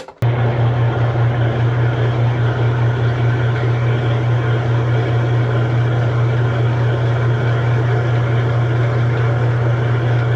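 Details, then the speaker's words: Kenmore top-load washer that agitated and drained but wouldn't spin, after repair with a transmission that sat outside over two years, lid switch jumped, set on spin: strong steady low hum, even drive, no grinding; normal spin cycle. "Well, that's a pleasant surprise. I gotta be honest, I wasn't sure whether this was going to work or not with that transmission that was sitting outside for over 2 years, but we got it working."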